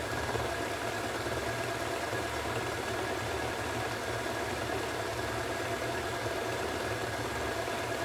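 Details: Hoover washing machine spinning at 1400 rpm: steady high-speed spin with constant low rumble and gritty hum, drum bearings nearly bad.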